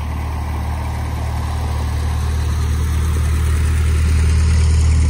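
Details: 1948 Ford 8N tractor, test drive after rebuild: deep, even low thrum from the four-cylinder with a steady beat and a slight rise in speed; runs smooth and healthy.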